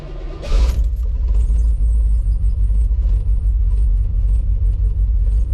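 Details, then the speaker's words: 1987 Chevrolet Silverado, throttle body injection 350 with mild RV torque cam, cold start at about 40°F in Florida: deep, uneven V8 rumble with slightly lumpy beat; idle real choppy when first started, normal until warm. "First started up, the idle and everything is real choppy."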